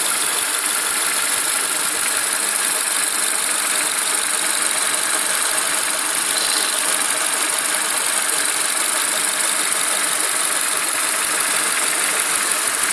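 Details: Renault Megane K4M engine at idle, timing belt kit and dephaser pulley replaced within the last 30k km: a hissy idle with an uneven knock about three per second that briefly drops out now and then. Owner suspects a hydraulic lifter; tappet additive added.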